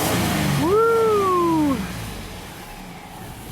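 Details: 2002 GMC Sonoma V6 with a long crank and low power complaint, after straightening a pinched, twisted fuel line and replacing the filter O-ring: quick clean rev climbing and falling smoothly without stumble, fuel pressure reaching 60 psi.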